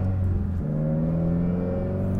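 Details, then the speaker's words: Subaru WRX with no boost, driven in first gear with the window closed. A drill-like whir over the engine climbs with revs under acceleration; the turbocharger has failed. "see if you can hear it even more if I close the window yeah sounds like a drill"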